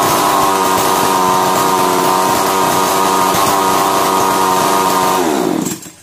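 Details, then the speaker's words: Chainsaw model 652 (as transcribed), previously a starting problem, starts on one pull after the new part is fitted; high, steady two-stroke buzz at even speed for about five seconds, then winds down and stops. Runs cleanly. "कि एक मारने पर machine start हो जाता है हमारा जो machine है वह बिल्कुल सही हो गया है"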